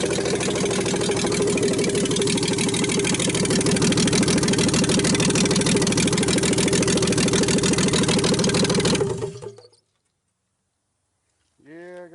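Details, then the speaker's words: 1960s Rambler 195.6 engine, first start on choke, oil full: rough idle with hard regular knock, then shutdown; deep bottom-end knock, cause not confirmed. "I hear it, it's hammering like crap. It's knocking hard."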